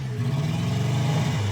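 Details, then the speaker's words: Subaru Sambar KS4, coil, distributor, fuel pump and carb confirmed good, warming up: a wavering, lumpy, uneven rev, misfiring from worn spark plugs, including a cracked plug in cylinder two; new plugs are needed. "it's running but not great we do need spark plugs"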